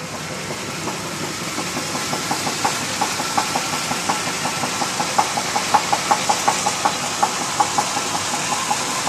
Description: 1991 Chevy K1500 305 V8 connecting rod bearing knock.